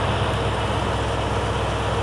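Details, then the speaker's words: 1982 Ford F-150 with a 302 cubic inch (5.0 L) V8, idling while jump-charging a combine battery: steady, even low rumble with a smooth regular beat and no knocks or misses, idling cleanly and healthy. "that's right good running motor right there little 302 cubic inch v8"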